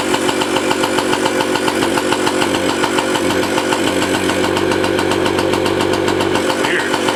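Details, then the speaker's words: 1985 Yamaha QT50 scooter after carb and jet cleaning: loud intake roar at full throttle but revs stay near idle, no bog or stall. "full throttle it says but it doesn't go any ribs and it doesn't die or bog or anything it's just the needle's sliding the piston is moving in the uh carburetor with the needle you hear big intake but no reps"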